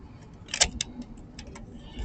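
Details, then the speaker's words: Andersen full-view storm door plastic screw cover pressed home gives one sharp snap, then a lighter click; the pop at the end shows it latched onto the screw properly. Screw cover seated correctly. "The pop at the end means you did it well."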